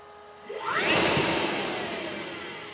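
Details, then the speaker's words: HPEVS AC-50 electric motor on a 144V controller, after changing the controller motor type setting from 24 to 50: quick rushing spin-up then slow coast-down, smooth with only a faint rising tone; more torque and the whine is gone. "A lot more torque. And no more whine. So, that's a good thing."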